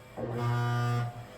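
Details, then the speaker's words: Broken washing machine that won't complete a wash cycle: a single low, buzzy tone lasts about a second, a loud error beep; the cause is unknown. "So that's actually the problem. It won't completely wash through a cycle, and it makes this loud, horrendous beeping."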